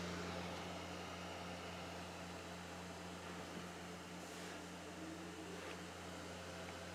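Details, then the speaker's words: Owner's own Xbox Series X as reference, same disc: quiet, steady whir at constant speed with no rattle or grinding; normal drive, owner thinks it a little quieter than the repaired console. "I think mine is a little bit quieter"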